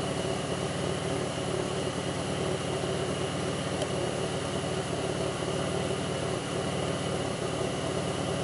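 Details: '02 Pontiac Grand Prix 3800 rough idle: steady idle with an uneven, lumpy beat underneath and no sharp knock, faint intermittent thumping pulls idle down, no check-engine light, alternator overheats; cause not evident.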